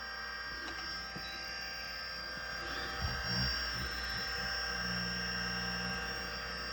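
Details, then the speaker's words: A vintage 5.25-inch Miniscribe hard drive spins with a steady whirring hum and a rough buzzing chatter. The noise stopped, so the owner thinks it comes from the spindle rather than a head crash; the stepper is stuck. "I don't know if that sound is a head crash. Does not really sound like what I would think a head crash is. Oh yeah, no, it's not, because it just stopped. It's something from the spindle, I guess."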